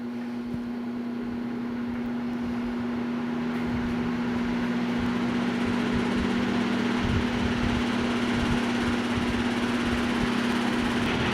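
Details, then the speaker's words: 1960 ILG WindowAire window fan on high speed: strong steady hum at one pitch with an uneven throbbing rumble underneath, off balance; owner suspects missing hub balance weights, not confirmed; a rubber shaft bushing also needs fixing. "It's off balance. I think some of the weights in the hub are missing, because I seriously doubt that ILG would let this fan leave the factory off balance like this."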